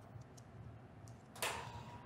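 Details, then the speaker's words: Ultrasonic micro-tip tenotomy device during medial epicondyle tendinopathy treatment: thin steady warning tone with no auditory humming beneath, meaning the tip is occluded or irrigation is not functioning, so the sonic energy has shut off. "now we can hear the signal but no other evidence that this is functioning which means that it is occluded"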